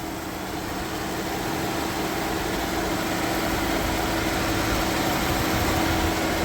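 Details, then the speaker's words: Springfield Coach limo with 3.6L V6, after fix bypassing a pulley that caused belt squeal; smooth even idle, no chirp or squeal, belt tracking straight; normal idle after repair. "I don't hear anything. Look at that. And the belt looks like it's tracking perfectly."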